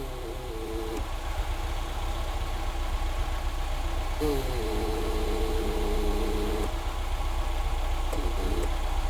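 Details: Barn-find classic Ford Fiesta petrol, warming up with the choke off and the battery light still on: a smooth, even idle with a steady low beat, no misses or knocks; a normal warm idle.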